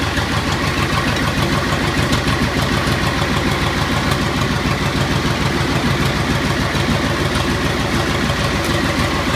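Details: 1984 Agri-Power 5000 (Zetor 5011) diesel tractor, push-button start: catches quickly and settles into an even, steady knock of about 200 beats a minute with no misses; healthy cold idle.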